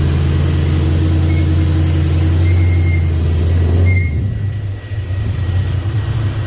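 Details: 2000 5.3 LS V8 swapped into 1992 C1500 with reworked standalone harness, coils changed and tuned, idling hot; rough uneven lope that stumbles and sags, misfire, suspected fuel pressure loss when pumps get hot.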